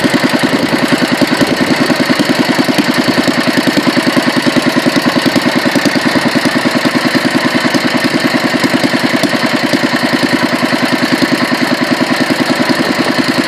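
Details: Petter A1 single-cylinder, second run after rebuild and another fine tune: crisp, even beat around 200 a minute, perfectly regular, no misses; ran an hour without hiccups until out of fuel; normal running.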